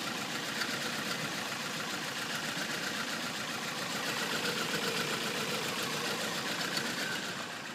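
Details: 2005 Toyota Corolla LE 1.8 automatic at idle, codes P0300–P0304: uneven, pulsing idle with a faint irregular stumble over a hissy background; multiple-cylinder misfire across cylinders 1 to 4.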